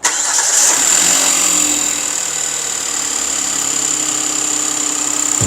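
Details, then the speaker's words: Cold start, engine noise checked with a sensor on the high-pressure fuel pump, channel 1, the loudest. Fast light ticking that fades and returns as the engine warms up, judged a mechanical problem with the high-pressure pump. "딱 봐도 고압펌프가 1채널이잖아요 젤로 크죠 이게 이제 냉간시에가 크니까 열 받을 때까지 참 기다려 보자고요"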